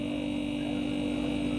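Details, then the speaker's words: Refrigerator that was not cooling, compressor only clicking, after replacing the overload protector: steady even hum with clear fixed tone, no clicks or knocks, current 1.1 A; normal compressor run. "ini dia akan berjalan dengan normal ampere 1,0"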